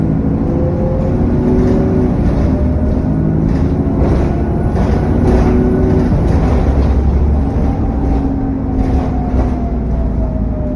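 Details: SN61 DDE E210 diesel on a dead run under way: heavy whooshing cooling fan roar and thin turbo whine rising and falling with revs.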